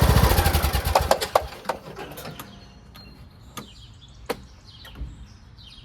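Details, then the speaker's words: Craftsman MTD T1600 lawn tractor, fuel shutoff newly installed: uneven, labored cranking that slows and fades into scattered clicks as the engine hesitates on the compression stroke. Once running it sounds great; owner suspects a broken compression release (ACR), later replaced with the camshaft. "Engine runs great, sounds great. It's just the beginning starting area. It didn't really want to go. Kind of like hesitated on the compression stroke."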